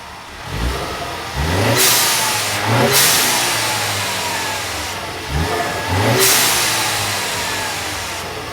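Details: 2015–2021 Mustang EcoBoost with Turbosmart EM-series blow-off valve, recorded from outside the car: quick engine revs, each followed by a loud, sharp air whoosh as the valve vents, normal operation.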